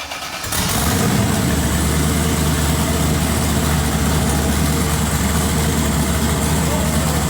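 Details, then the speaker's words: Twin-turbo LS-swapped first-gen Camaro after tune fixes (loose throttle body, MAT and coolant sensors recalibrated, lighter blow-off valve spring) catches in half a second and settles into a deep, steady, even idle before warm-up; sounds healthy, normal idle. "so the mat sensor was reading wrong so we had to calibrate that and the coolant sensor was reading wrong so we got all those things figured out and this thing runs pretty dang good now"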